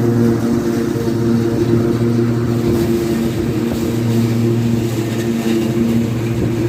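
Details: Restored Craftsman T100 riding mower after belt replacement: steady, even engine drone with smooth deck hum, no rattle or the earlier marble-like clatter; normal running.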